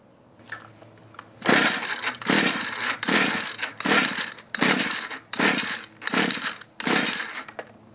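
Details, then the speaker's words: Mantis mini tiller 2-stroke, sat in barn about 10 years, run on 40:1 mix: eight quick rope pulls, never catches or pops; fuel confirmed, no start traced to failed ignition coil. "Well, that's not good. Well, we know we're getting fuel. I'm going to check for spark."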